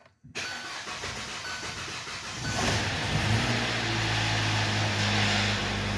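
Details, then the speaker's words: Hyundai Tucson, first start after cylinder head reinstall (new head bolts), no coolant in: catches after a couple of seconds of cranking, then lumpy, uneven idle with a faint stumble; check engine light on. Rough running, likely misfiring. "It's running a little bit rough. The check engine light came on immediately, so let me go ahead and check that check engine light."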